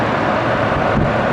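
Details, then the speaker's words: 2007 Chevy Colorado i5 engine running after new serpentine belt, filmed from the side near the belt and big fan: even turning with smooth accessory rush, no squeal or chatter; normal, quiet belt. "do you hear how nice and quiet that is it started right up no tweaks no chatter on the belt"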